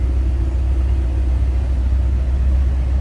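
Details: 1975 GMC motorhome, 455 ci front-wheel-drive V8, just started after sitting a couple of weeks. Deep, even, low rumble with a smooth, steady beat and no knocks or misses. Healthy idle.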